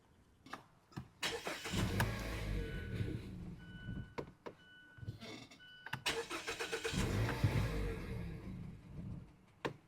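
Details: 2013 or 2014 Mazda CX-5 that stalls in drive, faulty MAF sensor with what looks like a broken internal resistor, gives repeated cranking bursts, catching briefly, revving unevenly and dying; hard start and stalling from the failed mass airflow sensor.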